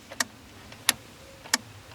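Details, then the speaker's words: Honda Accord electrical no-start: four sharp dry clicks about half a second apart, no cranking; relay still heard on key turn, so owner suspects it is not the starter relay but will still check it. "on entend toujours le relais donc j'ai envie de dire c'est pas le relais de démarrage"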